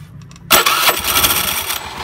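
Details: Honda Beat scooter during CVT service: starter catches, engine fires at once, settles into even steady idle with no slipping or rattling from belt drive; normal start.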